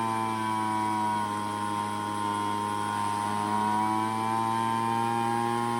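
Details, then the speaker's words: Craftsman two-stroke leaf blower, revived after sitting: steady buzz near 6,600 rpm, pitch sagging and recovering as low-speed then high-speed carburetor mixture screws are adjusted for best idle and maximum rpm. "Well, I hope you could hear the difference as I turn that low end to get it to idle, and then on that high end as well."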